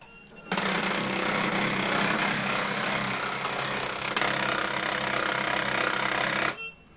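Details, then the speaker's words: HP LaserJet 1005 printer at power-on gives a steady harsh grinding rattle. One gear runs but the lower/rear gear won't turn, so a gear is jammed. "इसमें problem यह है कि यह वाली gas को चल रहा है लेकिन यह जो नीचे वाला हैं और नहीं चल पाता"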